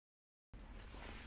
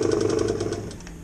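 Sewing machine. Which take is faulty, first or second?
second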